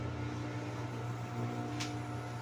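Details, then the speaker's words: Electric fan that hummed but wouldn't spin, after replacing the shaft bushings: steady even motor hum, low drone, no rattle or scraping; runs normally and strongly. "Naisalpak na natin yung shating bushing. Testing natin. So ayun, okay na siya."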